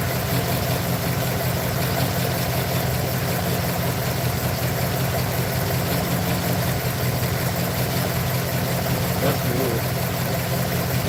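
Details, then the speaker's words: Truck idling rough and lumpy, with an irregular stumble in the low rumble. Owner feels it got worse and plans to pull and check all the spark plugs. Misfire at idle. "I'll probably probably pull all those plugs and check them all camera back I feel like it got worse to be honest foreign"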